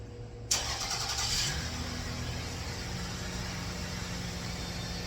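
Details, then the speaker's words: 2004 Toyota Avalon cold start after timing work (previously one tooth off) and O2 sensor wiring repair: quick catch, brief flare, then a steady, even idle, slightly rough; judged good, with O2 sensors still reading no voltage. "But it sounds good. It sounds really good on a cold start. A little rough, but I bet you it's not O2 sensor."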